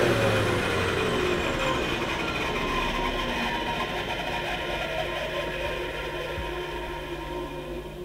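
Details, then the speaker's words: 1980s Hoover Sensotronic System 3 S3132 vacuum, bought used, first run on the lowest remote setting: steady motor hum with a falling whine as it coasts down, slightly rough on the run-down; otherwise normal running. "okay now it's a little bit bit rough on the wind down and of course that was just on the lowest power setting on the remote control but I think that sounds pretty good"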